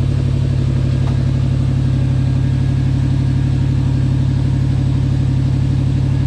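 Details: 1979 Lil Red Express truck just started after six months of winter storage, warming up: deep steady V8 rumble with even regular pulse, no knocks or ticks; healthy idle.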